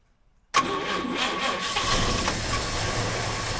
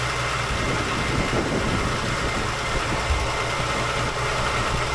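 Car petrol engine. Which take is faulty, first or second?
first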